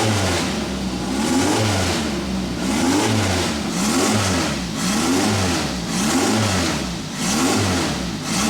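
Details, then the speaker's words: Van Diemen RF96K Formula Ford, first start of a new engine on running-in oil. Crisp four-cylinder blips that pick up and drop back cleanly, a little smoky from old oil burning out of the muffler, oil pressure good, responsive, no leaks; normal running. "A little bit smoky, it's got probably a little bit of old oil or whatever in the muffler. It's just burning that out, but it sounds crisp, oil pressure's mint, it's very, very responsive."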